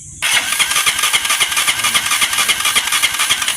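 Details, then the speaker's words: TMX 125 motorcycle, hard starting then sudden no spark: starter spins engine at about four even compression pulses a second but never fires; high-tension wire spark very weak, stator primary wiring checked next. "pumipitik na kuryente. Mahina lang. Napakahina napakahina."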